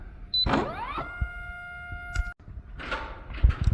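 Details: Oil pump motor on a 2018 Kegel FLEX, still failing after a control board swap: the motor whirs up with the pitch shifting, hums about a second, then cuts out with no real pressure applied. Motor suspected bad.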